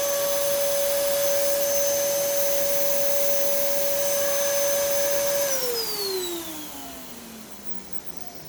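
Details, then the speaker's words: Dirty Bissell Heavy Duty (Healthy Home) upright vacuum at first switch-on: steady high motor whine with a faintly rough edge, falling smoothly at switch-off; sounds a little off but not bad, owner thinks mainly cleaning needed; belt feels slightly slipping. "it sounds a little funky but it's honestly not that bad i think with a little bit of uh cleaning and you know well mainly just a cleaning"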